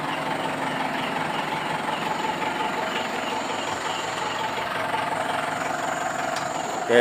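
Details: Mitsubishi Pajero that squeaked like a rat when shifting into gear, suspected at the propeller shaft cross joint; the joint was greased instead of replaced. Smooth even idle with a steady hum and no chirp or squeal after greasing; normal drivetrain, no squeak.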